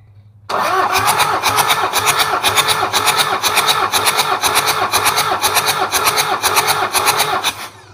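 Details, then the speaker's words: Toyota Kijang 2L diesel cranking for a compression test on cylinder 1 after an overhaul for low compression: about four even beats a second, each stroke equally strong; reads about 29 bar, compression risen, healthy and balanced. "oke ada di angka 29 Jadi kompresinya udah naik sekitar dari dua 2-9 sekitar 764"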